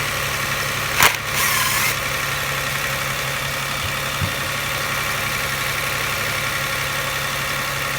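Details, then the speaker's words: 1999 Toyota Camry Solara 3.0L V6, code P0304 cylinder 4 misfire: idle with a slightly lumpy, uneven beat, chugging when in gear under load. Spark tested OK; cylinder 4 injector measured 500 ohms versus 14 ohms on the neighbouring injectors, so the faulty injector is condemned. "if you put it in gear put a load on the engine you can hear kind of chugging misfiring"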